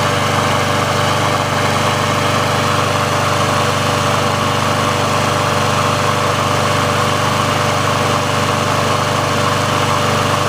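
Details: Sears Craftsman mower with Briggs & Stratton engine, final test after service and auto-choke repair, run about three minutes to warm: steady even buzz at constant speed, no hunting or sputter; auto choke plate opens properly, running normally.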